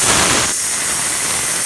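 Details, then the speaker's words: Ninja Foodi quick pressure release after 20-minute pressure cook of baby back ribs, release gate fully open; loud steady high steam hiss easing slightly, about a minute to vent; normal steam release. "It takes a little bit, maybe about a minute or so for it to vent all the way out."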